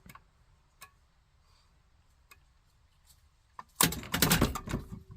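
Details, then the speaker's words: Community well pump system with 1¼-inch pipe, building about 57 PSI, with the pressure switch turned down: scattered sharp knocks build into heavy rapid banging as water hammer drives the check valve back and forth. "the water hammer effect is making the check valve move back and forth back and forth back and forth"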